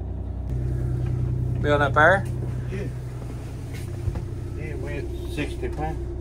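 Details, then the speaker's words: 1989 Grand Villa with a two-stroke Detroit diesel, just started after sitting, one battery dead, starting to charge: low steady diesel beat settling into an even idle with light revs, no knocks, not loud inside; normal idle and revving. "that thing sounds good I think it's really not that loud in here with it running"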